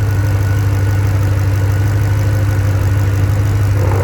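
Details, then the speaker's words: Land Rover P38 Range Rover V8 idling on LPG, system long unused: steady even idle with smooth low beat and distinct gas-injector clicking, no misses, hunting or knocks; brief light gas smell, leak not found. "We're on gas now. So you can hear those injectors make a distinct sound that's a bit different to normal ones."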